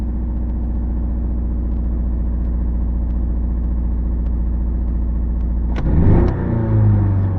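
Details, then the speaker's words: 1985 Toyota MR2 with suspected cylinder misfire: lumpy, somewhat high idle, then ragged sputtering, sneezing stumble on first throttle opening, very noticeable at low rpm and smoothing toward higher rpm, with sluggish acceleration; cause not confirmed. "you can hear when I just first hit the throttle it kind of sounds like it's uh kind of sputtering sneezing I don't know kind of thing and that kind of Smooths out a little bit toward higher RPM"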